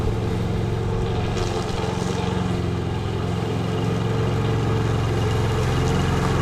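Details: MTD Lawn Chief push mower with Briggs & Stratton engine, after a no-spark diagnosis showed the coil working, mowing outside: steady, even single-cylinder drone with a firm low beat and no misses or surging under mowing load; running healthy.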